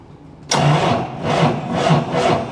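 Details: John Deere 7810 tractor not starting: starter labours in slow, uneven surges about twice a second without firing; voltage drop test traced weak cranking to a split battery terminal clamp that looked fine visually.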